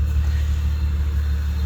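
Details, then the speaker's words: Nissan Maxima with a VQ30 engine after installing Audi R8 ignition coils, with OBX V2 headers and 2.5-inch exhaust, heard at the exhaust: a deep, steady, even idle rumble with no stumbles, misfire or popping. A healthy idle. "See how nice and neat it started up. Nice calm idle. No misfiring, no sputtering."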